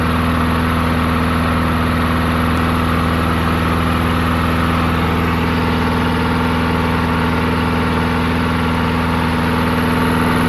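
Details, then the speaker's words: Murray 22-inch push mower, 5 hp Briggs flathead, unrun 20 years: after drilling out clogged carburetor passages, steady even single-cylinder drone at fast idle, no misses or knocks; runs good. "there we go I think that's a success it's uh it runs good"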